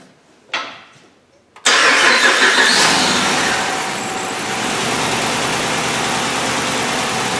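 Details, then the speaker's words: 2010 Dodge Ram 2500 5.7 Hemi V8 after rodent wiring damage, coil swapped but misfire code stays on cylinder 7, ECM driver suspected: cranks, catches quickly, uneven idle; engine misfire at idle. "So this is still misfiring."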